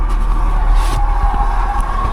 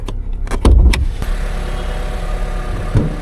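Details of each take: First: Vauxhall Corsa at auction, engine running: a deep rumble with a constant mid-pitched whine on top, judged not timing-chain noise; suspected to be the water pump, and the car is found very low on coolant. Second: Used car at auction, idling: a low, even idle with a steady rhythm, no ticking or timing-chain rattle, just a few door thumps; the clutch bite is good, and it is slightly low on coolant with no obvious leak; sounds alright.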